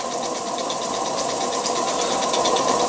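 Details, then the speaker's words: Homebuilt vertical model steam engine with spool valve, burner-fired boiler at 3 lb pressure; even, steady chuffing about three beats a second over a constant burner hiss, the exhaust steam itself silent, the engine running smooth and healthy. "that runs nice doesn't it real nice but again that steam coming out of the top you know that's the exhaust totally silent too steam is totally silent but the burner is making some noise you can hear the burner"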